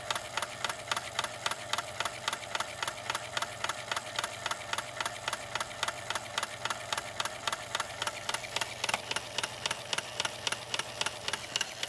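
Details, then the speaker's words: Sewing machine, apparently long unused, running on straight stitch with a sharp, loud click on every stitch, much louder than normal and not coming from the hook area. "that's really loud isn't it that's really really loud that clicking sound and it's not coming from the hook area"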